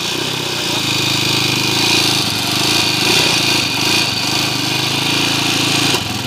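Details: Honda TMX155 single-cylinder motorcycle, still noisy after four mechanics worked on it, idles and hiccups with a loud, clattery mechanical rattle over its steady beat, from timing gear noise.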